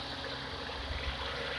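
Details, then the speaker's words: Hyundai Eon after replacing the radiator fan motor, on a cold start with the aircon on: a steady, even fan whoosh over a smooth idle with no rattle or scrape. The new fan motor runs normally, and no hose leak was found. "so as you can see the motor is working you can hear it as well the motor is working"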